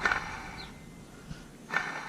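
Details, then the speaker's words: 2015 Toyota Corolla water pump, removed and turned by hand: short dry creaking and scraping with no smooth spin; bearing worn, pump bad and replaced with new one. "Yeah, it's bad. You hear that noise?"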